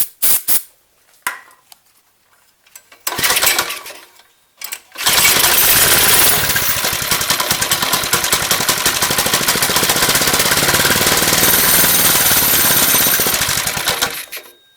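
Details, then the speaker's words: Lifan 2.5 hp engine, air filter off, won't run on gas with choke: catches on starting fluid, buzzes evenly about nine seconds then dies; spark and compression fine, fuel delivery fault, carburetor suspected, later replaced. "okay so start it up didn't stay running it ran off the starting fluid burned off that and then it shut off so we know we got spark we now got decent compression"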